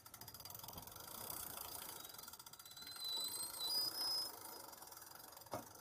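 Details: Ariel Rider Kepler e-bike, new, after a 5-mile test ride: fast light drivetrain ticking with a thin high squeak from the crank when pedaling or reversing the chain.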